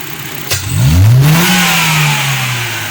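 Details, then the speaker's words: Honda CF after cleaning heavy carbon out of the injector, previously misfiring badly: engine rises cleanly on the throttle and settles back smoothly with no stumble or popping; takes the accelerator properly. "अल्हम्दुलिल्लाह गाड़ी में रहिए properly accelerator ले रही है"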